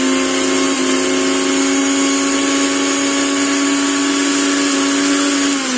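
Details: Mixer grinder after a bush change for a noise problem: a steady, even motor whine with a clean pitch and no rattle or grinding, easing slightly as it winds down; the mixer runs smoothly.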